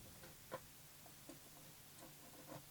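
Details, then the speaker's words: Leap LER-121A UV EPROM eraser, mechanical dial timer just turned: faint light ticks well under a second apart in a quiet room; timer running down normally. "It's ticking away because I've turned the dial."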